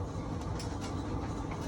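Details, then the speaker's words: Whirlpool dryer YWED9620HCO after replacing idler pulley, belt and drum rollers: steady low drum rumble with no squeal or screech, even tumbling hum. "All right, we got it fixed. Sounds a lot better than that screeching,"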